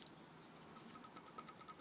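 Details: Faint light ticking at about five a second near the timing-chain end. The front chain tensioner was replaced with no change, and all valve shims are mid-range. Cause not pinned down.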